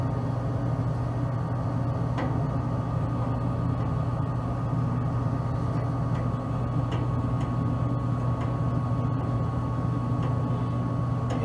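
The blower hums smoothly and evenly with a steady low drone and no scraping or knocking, so it is running normally.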